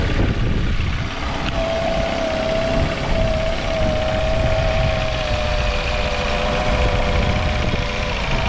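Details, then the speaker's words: Small outboard motor after carb cleaning, an air mixture screw adjustment and removal of a brittle, warped fuel filter restricting fuel flow: a steady, even drone with no hesitation, misfire or surging; normal running. "it wasn't running perfectly good and I also took out this fuel filter that goes right here in the fuel pump I think this one was just too brittle and warped and was restricting fuel flow but I think I got this dialed in now so I'll fire it up"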